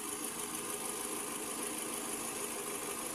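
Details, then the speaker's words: Toyota RAV4 after repair, running with no check-engine light, fuel nearly empty; steady even idle with smooth hiss, no knocks, misses or surging. "Mga kalyabe, so ayan na at umaandar na nga to."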